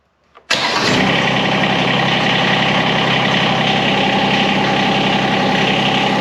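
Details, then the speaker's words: John Deere X758 mower after oil change: starts instantly and settles into a steady, even, buzzy idle with no knocks or misses; noisy but healthy. "there's a noisy little engine all right so we'll let it sit for a little bit"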